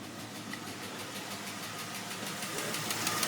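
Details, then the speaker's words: 2003 Jeep Grand Cherokee WJ 4.0 with 150k+ miles, idling not yet fully warm, oil pressure about right: quick light ticking about three per second that comes and goes every few seconds and grows louder. Owner suspects lifter tick. "the tick's gone now it'll come back in about 10 seconds five seconds back now it'll go away come back intermittently"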